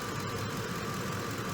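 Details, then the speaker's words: Ford F-150 3V V8 after a full engine refresh with timing chain work and new bearings, once loud with chain and other noise: steady, even idle with a smooth low rumble, no ticking or knocking, running better each minute like new. "It's running really good now. Every minute I let it runs even better. Now it's running like a brand new car."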